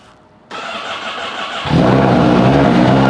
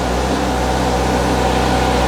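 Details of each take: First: Honda Fireblade with exhaust servo delete mod, cold start in closed garage: starter cranks briefly, engine catches, then a loud steady droning hum at idle; owner finds it drones too much. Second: Honda Fireblade after refitting exhaust valve servo back to stock, undoing servo delete mod: smooth, even, fairly subdued hum with steady low pulses and no rattles, much more manageable than before; clean, normal idle.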